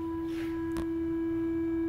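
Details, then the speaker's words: WorkBee CNC router Teknic ClearPath servo on Y axis, fine tuning at default stiffness setting (about 19): steady mid-pitched tonal hum with faint higher overtones while holding position; servo whine, cured by tuning fully toward quietness. "so the motors I guess it's trying to work a little harder to hold position but it's it's also making some noise right so that's not desirable"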